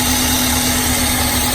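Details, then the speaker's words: Car engine at idle with one fuel injector unplugged during a cylinder power balance test: lumpy idle with an uneven low beat under a steady hum as that cylinder stops firing; single-cylinder misfire. "I mean, that cylinder won't work."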